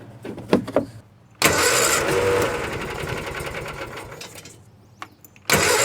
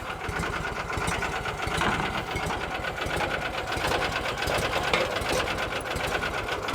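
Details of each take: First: 1986 or 87 Argo Magnum with choke on, fed from its internal tank. Starter grinds the engine steadily for several seconds with no firing; nothing reaches the fuel filter, so the owner plans to pressurize the tank to push fuel up. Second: 1986 or 87 Argo Magnum after a fuel system cleanup: slow, steady ticking idle with even pulses and no misses or knocks. The idle is probably set low so the clutch doesn't engage and gears don't grind when shifting; healthy.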